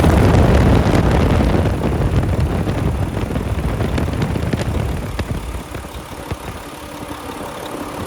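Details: 2014 Volvo VNL64T300 day cab, D13 diesel, 13-speed manual, running with a check engine light present, idling at 700 rpm: steady low rumble, even beat, no knocks or misses; healthy idle.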